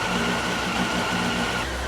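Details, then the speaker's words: 2002 Honda CBR954RR Fireblade just started after fuel pump fix, not run in years, cold: uneven, slightly lumpy idle with unsteady exhaust beats; rough cold idle that later smoothed after warm-up. "It's idling a little rough, so I'm gonna let it warm up and check it out."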